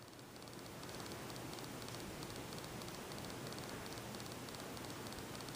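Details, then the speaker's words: Repaired 42-inch SMC U42 ceiling fan on medium speed at about 170 rpm after a wiring fix: a steady, even airy whoosh with a faint regular flutter and no ticking or grinding. Normal running. "I'd say this is gonna spin at maybe 215 rpm no simple is a really good amount of air for its size"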